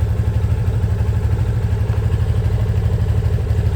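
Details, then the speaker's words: Yamaha Fazer 250 (FZ25) single idling, noise began at about 600 km: quick, fairly regular light clatter about three ticks a second; owner suspects valves, to be checked at service. "600 KM rodado começou a parecer esse barulho da tal válvula né"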